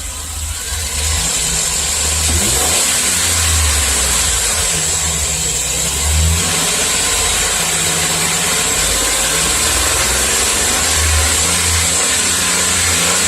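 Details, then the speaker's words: Chevy Express V8, about 330,000 miles, number 1 cylinder walls scored, after ring-freeing additive treatment, heard by the tailpipe; blips up and falls back cleanly, pulling evenly without stumbling or popping, slight shake; normal engine revving. "no weird noises this thing runs pretty damn good for 300 330 000 miles"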